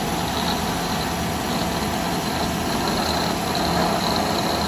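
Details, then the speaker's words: 2018 Chevrolet Silverado 5.3 L V8 at idle, hood open, AC on: even idle with a rough gritty grind running steadily underneath; suspected worn water pump bearing, pump replaced. "2018 Silverado 5.3 liter with the grinding noise when it's idle."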